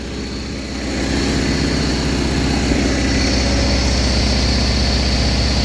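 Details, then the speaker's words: 1980 John Deere 317 tractor, reportedly bad valve guides and heavy oil burning, revived: engine settling into steady even idle with regular thump, no knocking, burns a little oil with light smoke; normal idle. "Burns a little oil I can't imagine that it burns as much as he said it was burning with just that much smoke Run's pretty good"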